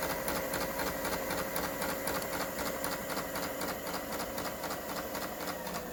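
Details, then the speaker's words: Kenmore 385-19550 sewing machine after repair (twisted part had pushed the shaft out of alignment; wrong pattern stitches and uncontrollable speed fixed), speed adjustment screw centred: quick, even clatter about four beats per second, no grinding or catching; runs smoothly. "So now the problem is solved."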